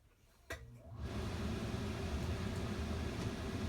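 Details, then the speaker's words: Coleman Mach 15 15,000 BTU RV air conditioner with newly fitted Supco SPP6 hard start capacitor on a 2000 W Xantrex Pro pure sine inverter: near silence, a click, then fan and compressor build to a rushing hum as the unit restarts after the compressor start tripped the inverter. "I didn't trip the breaker didn't I yeah looks like I did not the breaker but the inverter"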